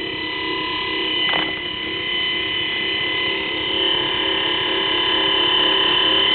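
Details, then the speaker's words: 24-volt forklift DC motor without permanent magnets, run on 24 V battery: smooth, steady high whir with constant pitch, no crackle, brushes no longer sparking; normal running. "because the brushes aren't sparking anymore"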